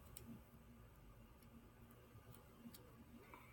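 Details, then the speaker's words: Knife stroked on a plain, unloaded strop gives faint, sharp clicks every half-second or so, showing a little burr still left on the edge. "there's a little bit of a verse to hear so you can hear that clicking okay okay burr is a little bit left"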